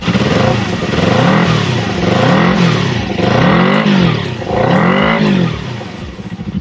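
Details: Old motorcycle twin after carburetor cleaning, air box and filter work, plugs and fuel lines addressed: four clean revs rising and falling smoothly with no stumble, pop or hesitation; proper fuelling across the rev range.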